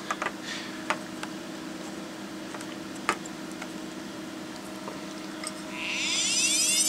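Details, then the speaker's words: HP MAP3367NC 36.4GB SCSI hard drive from a faulty server, powered up without SCSI cable, LED stuck on: steady droning hum with sharp ticks and a rising high whine near the end; abnormally noisy drive, fault unconfirmed. "As you can hear, it's incredibly noisy."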